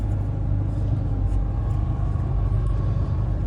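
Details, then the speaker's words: 2003 Bayliner 215 Bowrider, MerCruiser V8 with cone clutch stern drive, in neutral on trailer, warmed up, low idle believed about 650 rpm, oil pressure over 60 psi: deep, slow, even rumble, no misfire or knocking; normal idle. "Now, these Merk Cruisers, they have a real low idle. This one is uh 650, I believe, and that's because it has that cone clutch."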